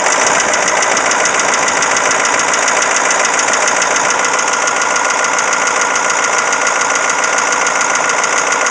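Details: Caterpillar 3208T diesel in 613C scraper, previously run hours with injection pump over-advanced, fresh injection pump and turbo, ~25 hours since: hard regular metallic rattle at idle; stops when #4 (partly #2) fuel line cracked, less when warm. Cause unknown: fuel/injector knock or broken piston/rings.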